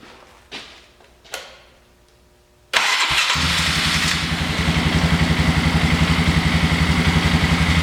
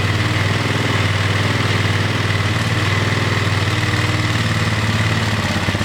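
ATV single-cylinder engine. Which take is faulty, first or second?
second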